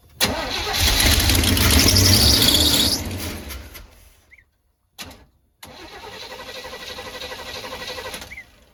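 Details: 1985/1986 Chevy Hi-Cube van (ex-police, Onan generator), revival: cranks in two bursts but won't start on temporary boat-tank fuel feed with fuel pump; pump filled carburetor but appears plugged, not working. Cause suspected, not confirmed.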